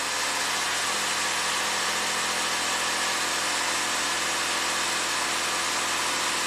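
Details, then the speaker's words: 2015 Lexus IS250 V6 AWD in Park, throttle body already replaced, no codes: a steady fast engine hum holding at about 2,200 rpm while throttle position sits at 18%. High idle, cause unknown. "look it went up to two 2,200 it's just going to stay there forever so how does this make any sense the throttle body dropped to 18% but the RPMs went up"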